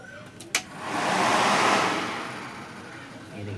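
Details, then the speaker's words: Maruti Eeco radiator fan motor, running after repair for worn carbon brushes (fan had stopped, car overheated); motor whir swells up then eases with a smooth airy rush, no scraping. Normal radiator fan motor run. "Friends देखिए अब हमारा जो fan है वो proper तरीके से काम कर रहा है। इसकी आवाज है। उससे ही पता लग रहा है कि ये फैन कितना स्पीड में काम कर रहा है।"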